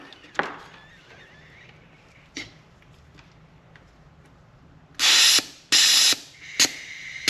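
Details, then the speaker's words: Polaris RZR 900 fuel injector bench-tested off the engine, pressurized with cleaner and pulsed from a battery through alligator clips. A few sharp clicks, then crisp hissing spray bursts on each pulse; the injector opens cleanly and the spray looks clean. "Ooh. All right, that looks clean."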